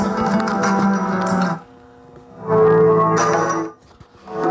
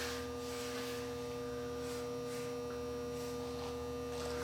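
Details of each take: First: Marantz 2230 receiver heard through headphones held over the microphone: music plays cleanly with no crackle, hiss or static, so the output is clean. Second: Marantz 2230 receiver just switched on, heard through headphones: steady mains hum with rough scratchy static bursts coming and going; dirty controls, volume control the culprit, needing cleaning.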